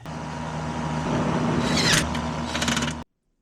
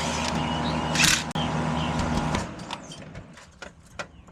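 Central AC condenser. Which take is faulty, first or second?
second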